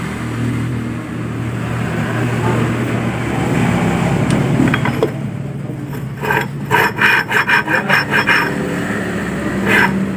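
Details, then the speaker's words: Honda Vario scooter rear final drive, turned by hand with no oil during rear wheel bearing and seal replacement: dry, gritty rasping. The secondary gears no longer mesh properly, possibly damaged by water ingress. "cuman kalau yang normal ini tidak separah seperti ini tapi ini ada suaranya agak parah ya agak berisik kemungkinan darinya bekas air yang mengakibatkan gigi ini gini dan Gigi ini sudah kurang klop"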